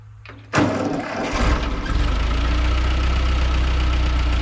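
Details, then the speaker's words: 1940 Ford 9N tractor after a rebuild correcting backwards rod caps, wrong ignition and cam timing, and wiped bearings: a quick crank catches cleanly and builds to a steady low idle with an even beat, no knocking; normal start and idle. "We may set you up on the tripod and start it up. Okay, it sounds good."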